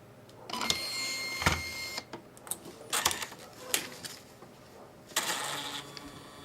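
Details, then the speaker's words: Catalina 7 coupon printer reset after clearing jammed paper: square reset button at bottom left held five seconds until power light flashes off and on; short mechanical whirs and clacks with pauses as it cycles through a normal reset and feeds. "hold the button for five seconds or until the power start splashing off and on and the printer will reset"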